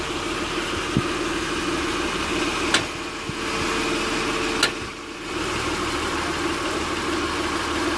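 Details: 2006 Acura TL idling in park with a few sharp, irregular passenger-side clicks as the steering wheel is turned: internally binding steering rack, fixed by replacing the rack.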